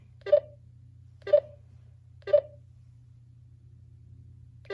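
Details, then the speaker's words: GTMedia V7S satellite receiver with its signal beep turned on and tuned to a satellite that is not being received: slow, widely spaced mid-pitched beeps about once a second over a low hum; stronger signal gives faster beeps, so this means no satellite signal. "just takes a second notice how the beeps are further apart now so the idea is is that the stronger the signal the more frequent the beeps"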